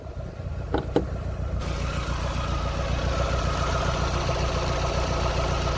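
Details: 2000 VW Golf Mk4 GTI 1.8T AGU before repair: it catches and settles into a lumpy, uneven idle with an irregular stumble. The misfire runs through the rev range, with shaking and a strong fuel smell, and is traced to a failed ignition amplifier.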